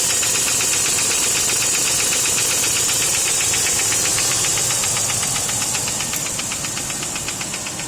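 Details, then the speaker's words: P38 Range Rover at cold start: a light, fast, even tick about four per second that began hours after an oil change, easing slightly and quieter than before. Cause not pinned down. "there's a cold start by the way actually getting a little louder it's not as strong as before it used to be louder now you can barely hear it"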